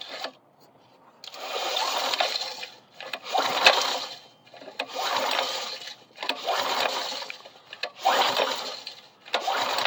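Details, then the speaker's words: Coleman BT200X minibike being recovered, spark checked and looks good: recoil pulls about every two seconds, each a gritty scraping rattle rising and falling with the pull, likely debris in the fan shroud: rattle while cranking. "Sounds like there's a lot of stuff in this fan shroud, so maybe we'll pull that off and get it cleaned out too."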